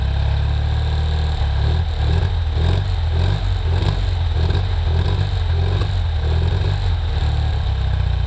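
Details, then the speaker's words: 1973 BMW R75/5 boxer twin, unused since 2015, idling with a spark plug wire loosened to widen the gap over a suspected fouled plug; old oil: steady even low thrum with regular pulse, no misses, running well. "This thing is running great. Definitely got a problem with the spark plug there."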